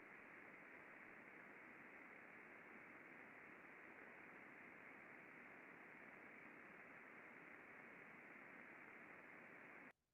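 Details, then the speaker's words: Bearing checked with ultrasound after greasing, with grease reaching the raceway: smooth, even hiss with no friction clicks or impacting and a stable waveform, a healthy well-lubricated bearing. "nice and smooth no indication of any friction any impacting very stable signal in our waveform that's what we're looking for"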